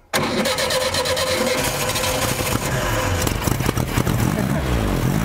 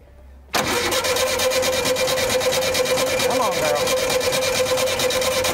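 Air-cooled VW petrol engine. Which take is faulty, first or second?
second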